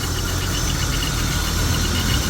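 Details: BMW 523i E39 at idle: an uneven, lumpy idle with a wavering low throb and the engine visibly shaking. The air mass sensor is suspected faulty, to be replaced with a new one; not yet confirmed.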